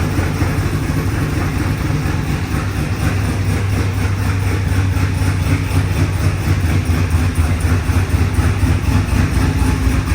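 Deep, steady V8 burble at idle with an even beat of about four pulses a second; smooth, healthy running.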